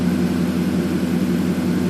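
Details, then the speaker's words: 2007 Ford F150 5.4 V8 after replacing fuel injectors for a misfire: deep steady rumble with even beat, no obvious misses; running much smoother, slight remaining stumble on cylinders two and five. "so here's your cylinder balance test now the truck is running significantly smoother than it was before"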